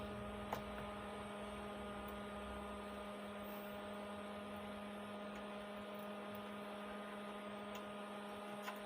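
Steady low hum with a faint buzz riding on it, no rhythm and no change in level; the amplifier is humming, cause not yet found.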